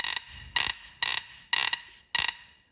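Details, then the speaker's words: Swamp Thing ignition, coil lead pulled so spark jumps to the bench: five sharp, loud crackling snaps about every half second, a big spark jumping far; previously wouldn't spark at all; strong ignition spark. "that is how much power that has got that's quite a big that's jumping that far"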